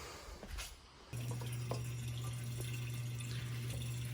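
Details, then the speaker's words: Buick Grand National fuel pump rigged up to empty the gas tank: steady low electric hum with faint uneven crackles, pump running but sucking in air rather than fuel; fuel pump sucking air. "You can hear that, but it's actually sucking in air."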